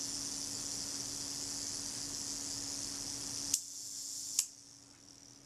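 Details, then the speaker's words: Kodak Retina IIIc shutter during service, self-timer check at one-second setting: even high buzzing whirr about three and a half seconds, then crisp clicks; self-timer escapement runs down smoothly, normal. "just check the self timer make sure that runs let's set to a second set yourself timer it's running smoothly"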